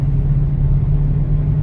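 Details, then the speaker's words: Mercedes CLK63 AMG convertible, M156 6.3L V8, in for slight misfire and oil leak from failed PCV: deep, steady, quiet rumble with no ticks, knocks or misses, no smoke or smell; engine runs very well. "I don't see any smoke I don't smell anything um engine runs very well like I said the motor's quiet"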